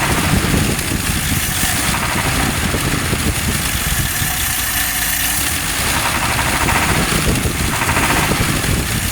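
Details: Rough, uneven knock about four beats a second from an idling 1954 Nash petrol engine; source still undetermined.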